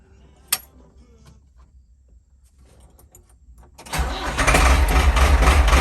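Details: Ford 6610 tractor diesel, cold start: a few seconds of quiet, then it catches into a heavy, slightly uneven loping idle; owner suspects injection pump timing is slightly off, smooths at about 1100 rpm and when warm.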